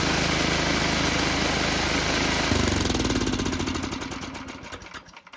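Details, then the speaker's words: Tecumseh HM80 8 hp on old MTD Snowflite 8X26 snowblower, just after carburetor replacement: runs steady and even, then shut off and coasts smoothly to a stop; new carburetor works, normal running. "So that worked out pretty well. So we're going to let this thing run for a little while, make some minor tweaks, but hey, that carburetor worked."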